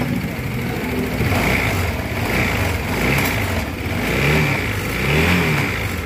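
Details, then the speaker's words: Newly bought 2023 Honda Vario 160 scooter at a dealer workshop, revving up and down: coarse, uneven mechanical roar under the exhaust note; rough engine noise, cause not yet pinned down. "jadi ini guys pada 160 Ini keluaran itu suara mesinnya kasar ya guys"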